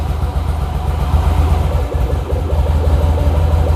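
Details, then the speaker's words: Carbureted motorcycle just reassembled, with old, undrained fuel still in the tank, started cold on full choke. It holds a steady, even low putter with no misses or surging, maintaining idle. "well right off the bat that's a bit better it's actually maintaining idle"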